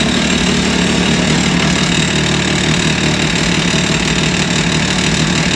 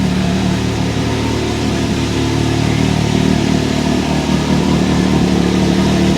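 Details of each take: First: 2023 Can-Am Maverick X3 DS Turbo (135 hp), oil change, start-up right after the oil refill: rough idle with loose metallic rattle and knocking over the engine note, then evens out; cause unclear, knock went away. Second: 2023 Can-Am Maverick X3 DS Turbo (135 hp), first oil change, idling after a rattly start-up following the oil refill: even, constant drone at steady idle with no rattle left; engine settled and runs smoothly.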